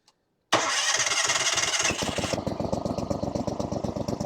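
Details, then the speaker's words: Falcon 4-stroke paramotor trike with a new NOCO NLP14 500A 4Ah LiFePO4 battery: brisk cranking for about 1.5 seconds, then a steady idle. It cranks faster than with the old battery. "all right well that was a lot faster spinning"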